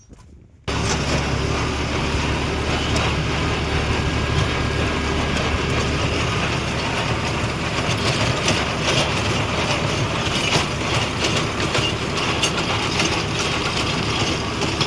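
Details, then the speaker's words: Tractor with rotavator running: a loud, harsh, steady grinding roar over the engine, described as a terrible rotor noise; the cause is not evident. "रोटरचा एवढा आवाज येतोय भयानक आवाज येतोय बघा आता"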